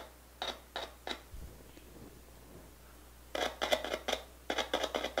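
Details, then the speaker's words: PX/CB radio speaker tested by tapping its leads on a battery gives sharp, crackly clicks with each tap, showing the speaker and voice coil are fine. "Notem que o alto-falante ele faz um ruído. Se você conectar direto, ele não vai fazer esse ruído. Portanto, você tem que conectar e desconectar da pilha. Caso o alto-falante faça esse ruído, podemos concluir que esse alto-falante está perfeito."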